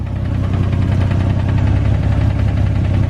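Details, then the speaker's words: Nissan 350Z VQ engine, jump-started, at idle. A regular deep knock that sounds like rod knock comes from low near the bellhousing, with some valvetrain noise. It turned out not to be rod knock; a faulty clutch was later suspected. "so uh that sounds like at the bottom end of the block it could be rotten ah listen rod knock"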